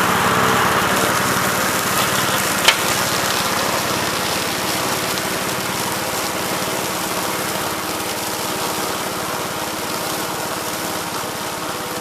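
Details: 1969 Gravely C8 walk-behind tractor, single-cylinder engine fired up in the morning after repairing its no-high-range fault (worn ring found): steady, even exhaust beat with no knocks; engine sounds healthy and runs well.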